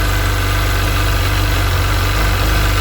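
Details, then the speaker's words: Sea-Doo 951 DI two-stroke after custom rebuild, air system fed shop compressed air at a steady 80 psi, fuel pressure steady near 107 psi spec; even, smooth idle around 1450 rpm with steady low drone, no stumbles or surging; normal. "running smooth steady we should be idling at around 1450 rpm that's perfect"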